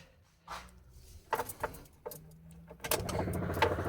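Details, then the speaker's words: Dodge Raider (Gen 1 Montero) 2.6L 4G54 with Weber 32/36 carburetor conversion, engine off, key on: a generic universal electric fuel pump runs with a loud steady buzzing whirr, far too noisy. "You hear that? Noisy as hell. No way am I going to drive around listening to that."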